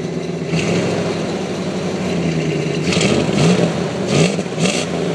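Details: 1999 Dodge Ram 1500 5.2 V8, cold start: steady low idle rumble that, after about 5–10 minutes running, revs up and surges repeatedly instead of settling, a raised, hunting high idle.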